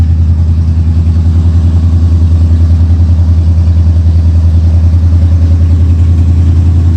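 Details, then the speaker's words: 1979 Lincoln V8 just after an oil change, old stale gas run through, air cleaner refitted, started in garage; deep even burble pulsing about three times a second, no misses or knocks; hardly smoky, healthy settled idle. "so fire it up let it run for a minute yeah let's start it then open the garage door [Music] hardly that smokey anymore"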